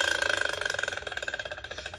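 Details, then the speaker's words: Giant flywheel-powered toy car with large machined gears: rapid clattering rattle that slows steadily as the flywheel coasts down; the builder suspects a poorly chosen gear or improper gear depthing, unconfirmed. "I know, I hear that rattling and I believe that means I've probably chosen not the best gear for this, or I've got them depthed improperly."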